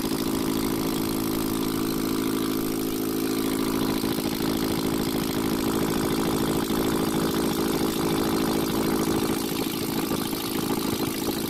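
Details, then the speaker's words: Ashok Leyland Captain BS4 N4 diesel truck after repair: steady, even idle with a smooth uniform beat, no knocking or irregular misses; noise gone and diesel coming out at the rearmost cylinder stopped. "और चलिए अभी हम start कर दिए engine को और देखिए आगे साउंड किस तरह नॉर्मल पोजीशन पर अपने आ गया"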